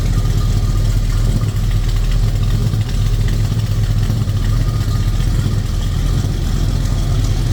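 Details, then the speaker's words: 1950 Dodge Business Coupe street rod, rebuilt 360 V8 with headers, idling: deep steady low rumble, even beat, no misses or knocks; healthy idle. "This baby fires up every time I hit that key. Boom, 360 V8 takes off. Again, headers."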